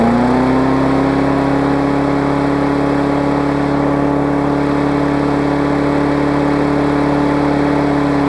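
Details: Craftsman big-wheel mower, Briggs classic single-cylinder, after safety cable fix and carb linkage spring adjustment: steady, even governed drone with a clean buzzing note and no misses; runs healthy.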